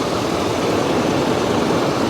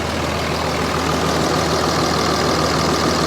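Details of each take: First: Quiet, healthy diesel idle on a truck at a Copart auction: an even, smooth low hum with no knocks or rattles, very quiet and luxurious compared with an old Ram nearby. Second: 2005 Dodge Ram 3500 dually Cummins diesel, manual, listed as a non-runner yet started: loud deep idle with a slightly uneven, lumpy beat, about three pulses a second; suspected down a cylinder, no blow-by, check engine light on.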